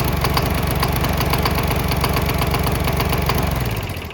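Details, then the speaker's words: Older gasoline Briggs & Stratton flathead mower engine converted to 100% diesel with six spark-plug non-foulers in a hot-bulb-type setup, still using the spark plug. It runs with a steady, slightly uneven beat; the earlier knock has almost completely gone once fully on diesel. "With this engine now running on 100% diesel, it actually started to sound a little bit better and that knocking noise actually almost went away completely."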